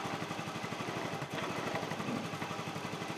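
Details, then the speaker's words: Honda Vario carburetor scooter, cold morning start: low, slightly uneven idle without the normal automatic fast-idle rise; also uses much fuel and idle rises and falls when hot. "seharusnya kalau motor ini secara normal itu kan dihidupin pertama kali dia langsung meninggi cukup otomatis itu loh mas bro ya"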